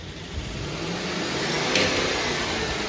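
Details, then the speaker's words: Replacement 5.7 Hemi in a Dodge Durango on its first start: ragged, stumbling revs with a weak cylinder heard while cranking, popping through the intake, ticking and shaking; an engine misfire. "You hear the weak cylinder when it's cranking, right? And the popping through the intake, and the ticking, and it's shaking."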